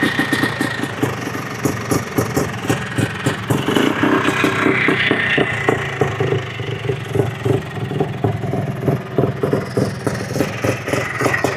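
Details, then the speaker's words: 2005 Polaris Trailblazer 250 two-stroke ATV restored from non-running: a fast, fairly even idle with a few throttle blips; it sounds healthy, with no fuel leaks. "running good. Everything looks good. Not leaking gas. This thing sounds good."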